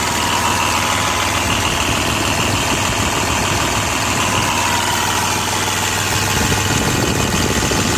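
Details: New Holland 5620 CRDI tractor diesel at idle: an irregular, stumbling beat of about three uneven pulses a second under a harsh rattle. Engine misfire.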